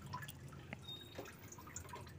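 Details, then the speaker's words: Honda Civic Wonder with coolant leaking like a waterfall from the water pump, which is also the source of the rough engine noise: slow, irregular drips falling into liquid in a quiet bay; coolant leak. "jadi kebocoran ada di sini suara kasar juga ada di sini"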